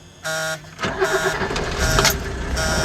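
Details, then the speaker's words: Diesel car that would not start on waste oil until its bad lift pump was replaced, now running up to 50% waste oil with pump diesel. Brief starter whir, catches within a second and settles into an even clatter. Normal start. "and this is how she starts now so you can see it's kind of normal smooth out and it's it just it's decent"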